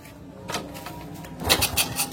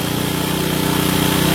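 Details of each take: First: Honda Supra motorcycle after carburetor rework for not revving fully and slow return: after clicks and handling noise the engine picks up and runs strong and even, pulling cleanly; air screw still to be adjusted. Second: Honda Supra motorcycle with air screw at 1.5–2 turns: fast steady buzzing idle staying high with throttle released; pilot jet too small, possibly after engine bore oversize past 100.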